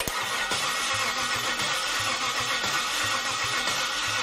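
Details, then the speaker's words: Cadillac Northstar L37 4.6L V8, returned by customer, cranked with plugs reinstalled to judge compression; hits come at uneven rhythm, some strokes weaker than others: uneven cranking compression. "not great doesn't sound good and I'm not talking about the flywheel"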